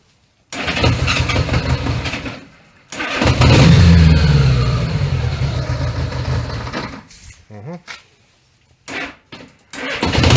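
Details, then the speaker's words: 1980 Honda GL1100 Gold Wing with overhauled carbs, during a carb sync just after the lock nuts were tightened. It catches and runs a few seconds, then the revs fall and it sputters out in bursts: poor idle from carburettors out of sync. "doesn't seem to want to idle."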